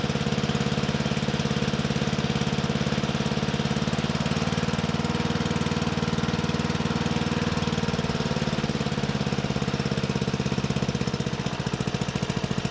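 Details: Murray 12.5 hp 40-inch-cut riding mower that had stopped running, after fitting a new carburetor and air filter: steady, even single-cylinder beat with no misses or surging; running good.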